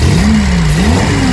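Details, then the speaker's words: Eddie Stobart Reliant Supervan after carburettor clean, refuelled after running dry (fuel gauge inaccurate), fuel now reaching the filter: revs climb and settle smoothly and cleanly with no stutter or misfire. Tuning judged sorted. "nice and clean now. So, imagine what it does when you put a little bit more fuel in, eh?"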